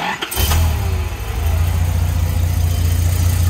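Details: Nissan GQ Patrol that wouldn't start; a wire had been smoking. Fixed by feeding the distributor supply wire from constant ignition power. Short crank, catches cleanly and settles into a steady, even idle: normal start and idle.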